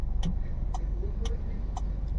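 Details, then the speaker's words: Hyundai Verna petrol, earlier cylinder 4 misfire (P0300/P0304) and fluctuating rpm, after spark plug fix: steady, even idle with AC switched on, rpm stable with no stumble or hunting; normal. "AC भी on है AC बंद कर देता हूं और देख सकते हो आरपीएम एकदम स्टेबल है अभी एसी को ऑन करते हैं एसी को ऑन किया"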